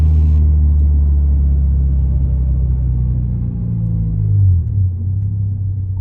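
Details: 2023 Toyota GR86 just after installing an aftermarket exhaust (transcribed "NVIDIA 1") in place of OEM. Deep, smooth low rumble swells with a rev and settles back evenly, with no rasp or rattle. Normal, healthy exhaust note.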